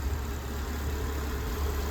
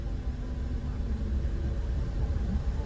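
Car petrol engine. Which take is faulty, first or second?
first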